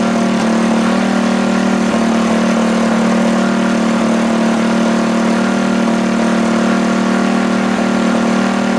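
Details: Rebuilt Tillotson 212cc Mega Moto engine, running with the air filter removed: loud idle with a fairly even beat and a lumpy pulse; the mixture sounds off, and the owner believes the PZ22 carb is too small.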